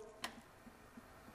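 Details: 2008 Chevy Silverado 4.3 V6 with rough running and emissions codes: light, sharp clicks roughly every third of a second in a quiet space, EVAP vent solenoid switching normally, function confirmed with smoke test.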